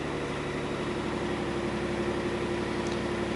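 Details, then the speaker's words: 2000 Chrysler 300M, in gear held on the brake under load: uneven stumbling beat of about four pulses a second with the car shaking, a misfire under load; short-term fuel trims around -5 to -10, knocking also noted. "There's definitely a misfire. Yep. You can feel it, the car's shaking."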